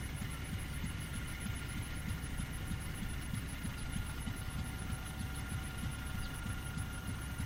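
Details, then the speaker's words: Fairbanks 208 single-cylinder engine on an oil-well pulling unit, freshly started after a probable pump change, probably fed gasoline since well gas is weak; low slow thump about three beats a second under steady hum, even pace, running normally. "Probably feeding it gasoline to get it going. Engine sounds like it's running okay."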